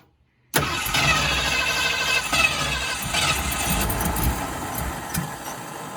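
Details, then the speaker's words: 1965 Ford Fairlane at first startup after installing a new gas tank, fuel pump fed straight from the tank, second attempt after the engine flooded: long steady cranking with uneven chuffs that nearly catches but never runs. "we let it get unflooded a little bit so let's see if it fires up [Music] ah so close"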